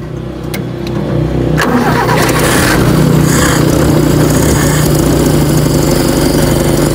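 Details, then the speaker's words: Toyota 4K engine, carburetor float had been fitted wrong so no fuel reached it; after fixing, cranks, catches and settles to a rough lumpy idle; now supplied with fuel but still flooded/rich, blamed on vacuum lines needing repair. "Ayan, kasi may supply na sa carburetor eh. Kanina wala eh. Lunod pa yan kasi vacuum."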